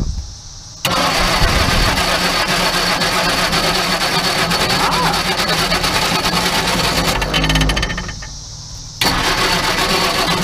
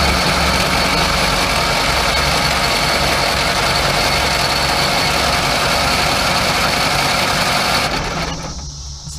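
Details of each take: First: Crosley car under 30K miles, stored in a barn from the early 1970s and thought not to have run since the late 70s or early 80s, with water, oil, plugs and spark plus a little fuel: cranks with uneven sputters and firing bursts, then dies. Won't stay running. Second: Crosley car stored in a barn 40+ years, under 30K miles, 6-volt system, cranked before the ignition is hooked up: steady, even cranking at about 3.5 beats a second with even compression. Oil pressure climbs slowly while cranking.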